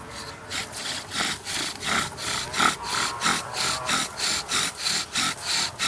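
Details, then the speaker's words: Bow drill fire set, experienced user applying good pressure: even rasping strokes about 90 a minute with no squeal; spindle biting cleanly, smoke rolling out leading to an ember. "Okay, you'll notice that there isn't a squeaking sound going on. That's because I'm applying a good amount of pressure on it."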